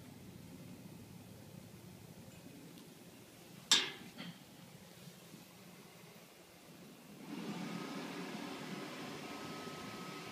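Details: Frigidaire AFFC2027DW2 freezer with Embraco EGU 90HLCW compressor and Supco URC0410 relay/starter: one sharp relay click then a low steady hum, compressor never settles into running; compressor won't start.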